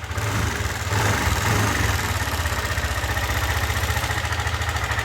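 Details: Yamaha NMAX V2 scooter revved lightly: fast metallic rattle rising with engine speed, reportedly louder on cold start and slightly quieter once warm; crushed camshaft bearing.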